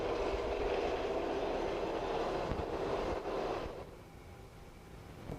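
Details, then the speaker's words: 2000/2004 Ford Focus at startup: loud, rough grinding with a clunking beat about three times a second, then the engine shuts off. The AC compressor clutch pulley bearing has gone bad and could throw the belt; the compressor and dryer are to be replaced. "if you can hear that noise terrible grinding clunking sound this is sound of the AC compressor clutch pulley gone bad"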